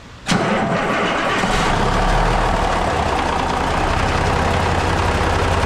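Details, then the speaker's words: Rebuilt Cummins engine in a Kenworth truck, fresh start after bearing and gear work: quick crank, fires at once into a steady low diesel idle, the earlier big rattle gone, about 48–50 psi oil pressure at idle; normal start and idle. "That big rattle is gone. Sitting about 48 to 50 pounds of oil pressure just sitting here at an idle."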